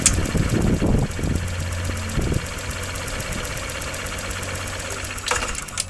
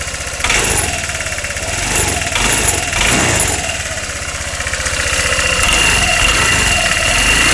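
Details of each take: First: 2013 Honda SH150i scooter, after repairing an engine knock with a timing-related problem and a broken spark plug, front brake held: starter churns and the engine stumbles before catching, then a rough, uneven idle. Hard start likely from cleaning fluid flooding the intake manifold. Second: 2013 Honda SH150i scooter engine after repairing a new knock (broken spark plug was found): a few catches, possibly from cleaning fluid in the intake manifold, then an even, quick putter at idle with no ticking or knocking. Healthy.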